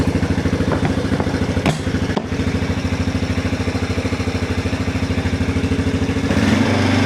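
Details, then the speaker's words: 1994 Yamaha Big Bear 350 ATV that sat for years, idling while warming up after revival: single-cylinder thumping falls slowly from a blip to a steady idle around 200 pulses a minute. Owner suspects things are sticking, unconfirmed. "You can hear it takes a little bit for it to come down. I think everything's just kind of sticking a little bit, but once we move stuff around, get it warmed up, we're going to take it for a quick test drive."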